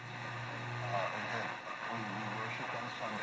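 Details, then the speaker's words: Zenith FM radio deliberately knocked out of alignment (adjustments 12–15 turned) before sweep-generator and oscilloscope realignment: tuned station sounds hissy, garbled and muffled, highs and lows of the FM modulation messed up; distorted audio from a misaligned FM IF stage. "we can tune but the the sound is funny because our highs and lows that were getting through FM modulation is all kinds of messed up"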